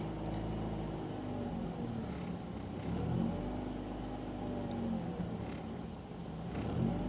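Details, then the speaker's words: 2004 Mazda RX-8 rotary with low compression, after sitting about two weeks, warm after about 5 minutes near 1100 rpm: idle rises and sags about every two seconds with no throttle; owner suspects ECU sending too much or too little fuel, unconfirmed without wideband. "This is where I believe the ECU is sending too much fuel because it's seeing that it's warmed up."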